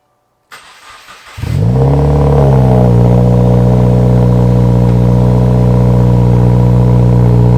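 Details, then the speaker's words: 2019 Subaru WRX FA20DIT, about 35K miles, Grimspeed catted J-pipe and Invidia R400, cold start after walnut blasting the intake valves, left to run until it dies: cranks about a second, catches, flares, settles into a steady even high idle; healthy. "So he does have a Grimspeed catted J pipe on it with the NVIDIA R400, and this will be a cold start, so you guys can hear that as well, and it sounds pretty good."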